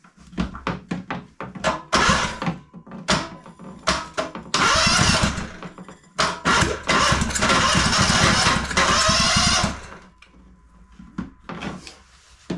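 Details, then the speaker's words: Engine from a bought pile of small engines cranking in fast uneven bursts with a few harder catches, trying to pop but never firing; turns over but won't start, later fires on a makeshift fuel tank. "Come on. Did you hear it trying to pop?"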